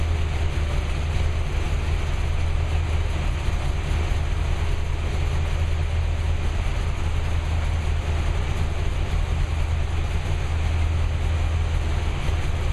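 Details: New V8 with Lunati 60140 solid cam, running at operating temperature after hot valve lash adjustment from about .010 to .014 intake and exhaust per the cam card: deep, steady rumble holding an even idle, no misses or loud valvetrain clatter; runs smooth and healthy.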